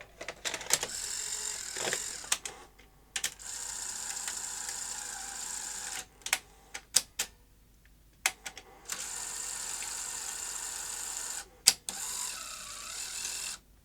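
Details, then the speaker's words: Sony SL-HF900 SuperBeta NTSC VCR (100 V) front loader: short whirs and clicks between pauses, but eject stops short, tape not fully out and door not fully open; a misplaced loader spring is the cause. "so my main problem is that it's not ejecting the tape fully and now this door's not fully open so it's not got fully out that's the only problem I think"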